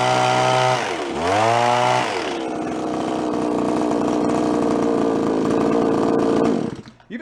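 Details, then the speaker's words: Small Japanese-made landscaper-grade two-stroke garden tool, reassembled after its spark plug was cleaned. It fires, blips and holds a steady buzzing run without stumbling; healthy, mixture slightly on the rich side. "the mix sounds pretty good too little on the rich side which is what you want on two-stroke run lean they'll burn up"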